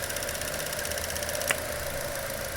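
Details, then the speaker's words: 2016 Chevy Cruze 1.4L with a clicking noise and code P0496, idling with the canister purge valve disconnected: steady idle with a soft valvetrain tick and the clicking gone, confirming the purge valve needs replacing. "see this the clicking nose it's gone so now we are sure that this part have to be replaced"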